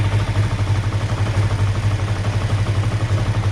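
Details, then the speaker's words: 2005 Kawasaki Ninja 500R twin revived after sitting 10 years, first startup after carb rebuild, choke off: fast idle with slight wavering that is slow to drop after a throttle blip, a hanging high idle the owner attributes to a lean condition from extra air entering. "So normally when you have a high idle that hangs, that's a lean condition. Watch. See how long that took to come down? That's normally a sign of extra air getting into the system."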